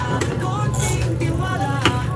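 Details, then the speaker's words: Top-load washing machine after gearcase replacement (old gearbox free-wheeling, water-damaged): spin dryer motor runs with steady low hum and faint whirr, smooth with no rubbing or knocking — normal spin, no problem. "Ayan, umikot na. Ayan oh. Ayun. Wala nang problema to."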